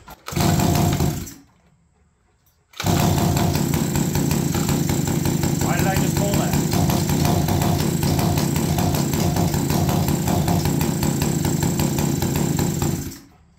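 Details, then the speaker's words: APC mini chopper garage-sale small engine running rough: uneven, lumpy low putter about three beats a second that never smooths; owner suspects it is running very rich, mixture screw being adjusted, pipe possibly clogged. "whatever are you serious think we're a little Rich oh my gosh I think we're Super Rich"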